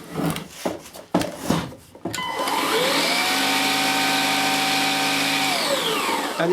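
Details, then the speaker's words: Gtech Mk2 AirRam K9 cordless vacuum, discarded unit: motor spins up to a smooth, even whine with the brush bar turning steadily and little debris wrapped on it; normal running. "so right so it seems to work yeah and then there was the does the brush bar go round"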